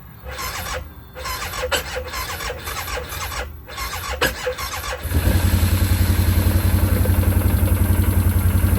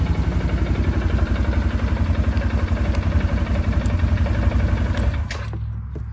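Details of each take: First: 2009 Arctic Cat 1000 quad at 197 hours: sluggish, labored cranking at about four beats a second before it catches and starts; suspected low battery voltage, weak starter or bad solenoid, fixed afterward with a new starter. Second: 2009 Arctic Cat 1000 quad, bought used with a non-working 4x4 actuator: starts up super easy and idles with an even, steady thump of about four beats a second until shutdown, with a few light-switch clicks; normal idle.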